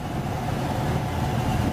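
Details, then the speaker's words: Home central heat/AC blower motor, previously humming and buzzing as if stuck, after being oiled and lubricated: steady even low hum with no buzz, rattle or grinding, running normally. "running okay here at [Applause] so the air condition is well work"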